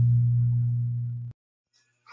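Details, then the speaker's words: LD Systems Curve 5 active indoor speaker at full volume, after cleaning wet, rusted volume potentiometers: steady low hum with the audio input open, the normal residual hum now that the loud hum is gone, then cuts off. "ah nawala na yyung hamming so meron man normal hamming na lang kapag open yung audio no"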